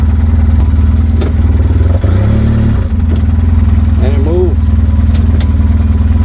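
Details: 2007 Polaris Ranger 700XP, 5400 miles, 900 hours, new battery: steady fairly quick knock over idle tracking engine speed; valve train looked fine, deep internal knock, engine swapped.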